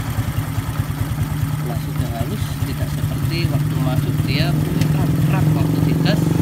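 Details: Honda Supra 125 after cylinder block and head reassembly, engine worn from overdue oil changes: steady idle about three beats a second with light even tappet ticking and no knocks; normal healthy running.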